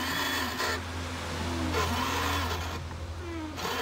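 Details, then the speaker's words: Washer pump motor on a car's windshield washer system, with the washer hose clogged with salt; strained, dragging motor hum shifting in pitch, "as if the motor were dragging"; the pump is labouring against the clogged line. "ya no soy yo así como que que se estuviera arrastrando el motor"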